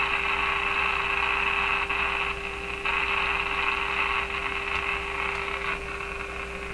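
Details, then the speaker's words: Viking Model 54-51 radio on the bench during alignment after capacitor replacement: steady hiss and crackle with a constant low hum, static blamed on signals everywhere in the workshop. "it's just signals everywhere in my shop that's the problem"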